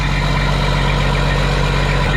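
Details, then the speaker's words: Factory Detroit diesel (standard bearings, crank not cut, fairly new manifold) in a glider kit truck inspected for purchase, idling cold at "60"; steady even clatter, deep constant rumble, no misses or knocks: healthy cold idle. "Looks healthy. What is it? 60 right now that it's cold, it's good."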